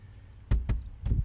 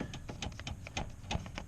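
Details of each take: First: Knuckle taps on the reinstalled door panel of a 10th gen Honda Civic Si give short, dull, solid thuds with no buzz or rattle, after fixing aftermarket speaker wiring that caused vibrations; door now dead and quiet. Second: 10th-gen Honda Civic Si with the door panel off and aftermarket Image Dynamics 6.5-inch speakers and tweeters fitted: irregular sharp taps on the door each bring a light buzzy rattle inside. The cause was the wiring installed for the aftermarket speakers.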